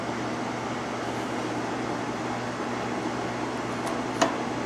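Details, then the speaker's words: Outdoor patio heater tested after a hard winter, fan on the low setting (of low/medium/high): smooth, even low hum with a soft airy rush, no rattle or ticking; running normally. "There's low, medium, and high, so here we go. There's low."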